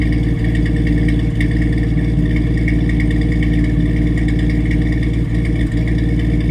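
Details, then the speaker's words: 1989 Jeep Wrangler YJ, 4.2 L inline-6, Weber 32/36 carb, new Flowmaster 40 exhaust with no cat or resonator: deep steady idle stumbling about four times in seven seconds. Intermittent miss; owner hopes new plugs, wires and HEI distributor fix it. "so that's what it sounds like with a Miss I think I hear a Miss I'm sure you all know better than I do but that's an issue I'm working on too"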